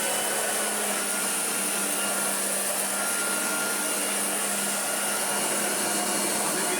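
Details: Hoover Junior Exclusive U1040 upright vacuum after full restoration: a steady high motor whine over an even rush of air, with no rattles, surging or bogging, running healthy.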